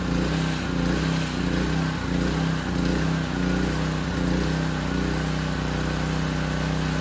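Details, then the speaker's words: Powerstroke 2200 PSI pressure washer small engine under spray load after carburetor clean (pilot jet), warmed up: steady even drone, slight surge only, good pressure, no stumbling; normal running under load. "that wasn't too bad I mean it surged a little bit but once it warmed up hey that was pretty good put out some good pressure didn't stumble at all"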